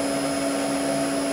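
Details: Maple sap vacuum pump set to run at 49 Hz, about 24.5 inches vacuum, feedback over 50 showing a tight system after a day of leak fixing: steady even hum, strong constant tone, no knocks or surging; normal running.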